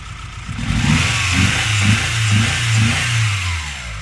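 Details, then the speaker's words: Mitsubishi Galant 6 (E32A), 4G37 engine: after starting it runs rough with a lumpy, stumbling beat of about two pulses a second, with revving and the injector connector unplugged on cylinder three to test; a misfire. "А у нас интересно шестой галланд и вопрос знатокам что это может быть завелась работает криво"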